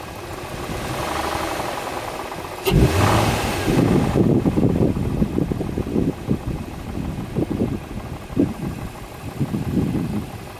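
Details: 2004 Infiniti FX35 engine idles then revs, with an irregular clatter and knocks over the run as revs rise and fall; source of the abnormal noise unknown. Cause suspected, not confirmed.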